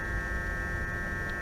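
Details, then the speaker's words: BMW E39 530i with all three DSC warning lights on and error code 88 pointing to the ABS precharge pump. At ignition-on, a steady high-pitched buzz over a low hum shows the pump is working, so the fault lies elsewhere. "And that's the noise we expect when the Precharge pump is working."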